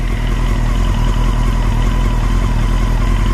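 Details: Honda 954 motorcycle idling while warming up, clutch squeezed in: loose uneven clatter about 78 a minute, seeming to come from the back left of the engine behind it, around the throttle bodies; cause unidentified.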